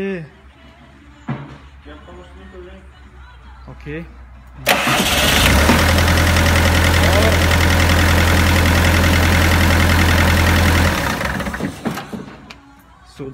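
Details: Bobcat 753 diesel after cleaning and repairing the dirty starter motor for slow crank/no crank: strong, even cranking quickly catches and settles into a smooth, steady idle.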